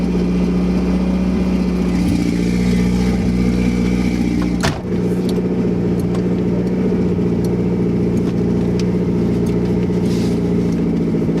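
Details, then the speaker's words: 2nd-gen Toyota MR2 with JDM 3S-GTE turbo swap, first drive after fixing vacuum and boost leaks, recorded from inside the loud car: strong constant drone with the idle held well above normal; high idle. "there's a really high idle but that's fine I'm actually driving my car hopefully you can hear me over in this loud car"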